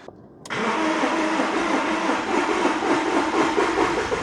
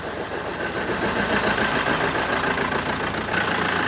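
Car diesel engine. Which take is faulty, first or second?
first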